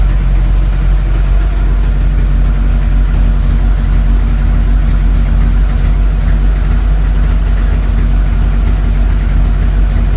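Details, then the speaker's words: 1983 VW Rabbit GTI, first fire-up of the rebuilt engine: steady, even idle with a smooth low rumble and no knocks or misses, good oil pressure and a faint exhaust rattle, running in a reasonable range; healthy. "Well, pressure's good. Being a little rattle in the back. Exhaust. Yep, that's okay. We're running in a reasonable range here."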